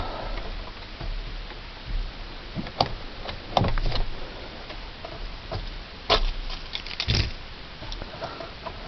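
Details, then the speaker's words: Ram truck with key on and battery too dead to start: small dry clicks tick irregularly from the electric seat belt retractor, stuck overstrapped, over a low hum. It stops with the key off and was draining the battery. "Guys, so I said that my seatbelt was ticking, like you could hear the little click, click, click. I guess it was trying to correct itself."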